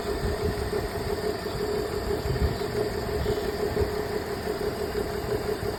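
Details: BMW at idle, diagnosed with a cylinder 2 misfire: an uneven, lumpy idle beat with a faint steady whine over it and a periodic stumble.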